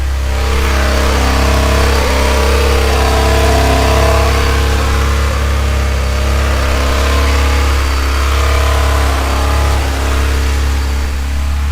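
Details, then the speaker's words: 1995 Honda Civic Si with engine swap, just started after ignition timing set to about 18 degrees: uneven, lumpy, stumbling revs with a raspy edge from a leaking exhaust; sounds misfiring, check-engine light on. "that sounds awful don't yeah well the exhaust is uh leaking but it kind of sounds like it's misfired"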